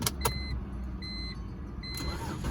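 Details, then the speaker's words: BMW E46 automatic, just bought, with a battery fitted. A short crank, then the engine catches and settles into a low steady idle, starting cleanly without stumbling; the owner says it runs pretty good. "Alright, so funny thing about this so far, the car is on. I thought it was off, but it's on. Runs pretty good, I guess."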